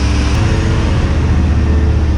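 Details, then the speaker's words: V8 after freeing stuck valves and straightening bent pushrods, running on fast idle with no gas pedal after a couple of pumps. Deep, steady, even rumble with no tick or miss; the valvetrain sounds healthy. "fast idle works everything's working on it look how smooth this thing runs look at that"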